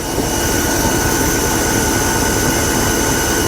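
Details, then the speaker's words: 1985 Buick LeSabre Estate Wagon after fuel line and exhaust repair starts right up and idles with a steady, even rumble, much quieter than before with no exhaust leak; normal idle (smoke appeared shortly after). "started right up. A lot quieter than it used to be."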